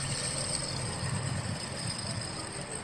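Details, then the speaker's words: Honda Fan 125 motorcycle engine that was knocking and roaring: the worn needle bearing, spun by hand, gives a rough, uneven low rumble with a faint hiss. The bearing, not the connecting rod, was the source of the noise. "Mas olha que nesse caso não era a biela que tava roncando. O barulho feio mesmo, cara, era nesse rolamentinho aqui, ó."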